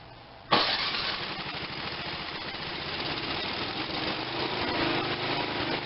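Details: Tecumseh 5.5 hp electric-start small engine with no compression from a stuck valve: it catches on starting fluid and keeps a rough, buzzy, weak run with a slight rise in speed. Engine firing on starting fluid.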